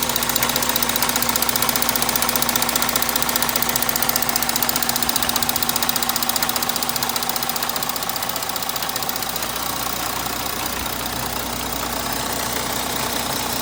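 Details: 3.0 TDI diesel before any repair: sharp, fast, very regular ticking riding over a steady idle, an abnormal knock whose source isn't clear from listening; cause suspected, not confirmed.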